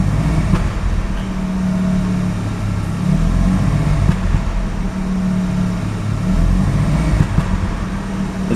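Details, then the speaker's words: Mazda RX-7 rotary engine stumbling and surging under slight throttle; it failed inspection for very high CO (2.70) and has a rough shaky idle, no oil pressure reading, new spark plugs, and ignition leads already measured; misfire under light throttle. "And this misfiring, it's only making when I push a bit the throttle, just like that, just a little bit, and"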